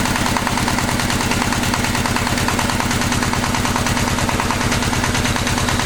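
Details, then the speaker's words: Single-cylinder walk-behind tractor engine running steadily at mid revs on a spring-held hand throttle after rebuild: no knock anymore, previous knock gone after reassembly, though gears show slight wear. "как собрал все стук перестал да там на шестернях есть износ немножечко"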